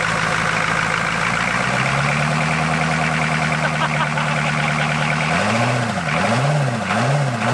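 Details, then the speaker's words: Abandoned 1980s Buick Century 350 diesel V8 first running: loud clatter with an uneven, lumpy beat and rough revs rising and falling. It misfires and isn't firing on all eight cylinders. "We're not hitting on all 8, that's for sure, but it's hitting."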